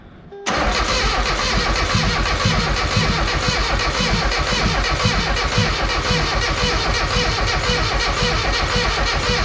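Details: Mazda Miata project engine cranks strongly at about four turns a second for nine seconds without firing, after timing marks were checked. It runs briefly only on brake cleaner; a fuel problem or non-pulsing injectors is suspected.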